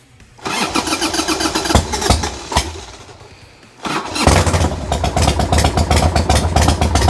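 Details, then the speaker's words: 1990 Harley-Davidson Sportster 1200 after 10 years stored, new battery and plugs: lumpy, uneven firing that catches, sags almost to stalling, then picks up, with heavy smoke; it briefly runs, and the owner suspects a fuel issue (carbs or petcock). "all right I consider this a win I heard it start up you heard it start up sounds mean I'm excited a lot of smoke this is a fuel issue"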